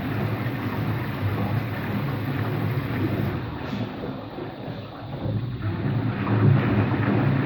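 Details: Washing machine on an empty rinse-and-spin cycle: heavy low rumble and uneven roar throughout; owner suspects both motor and drum bearings, no leak seen; rumbling during spin.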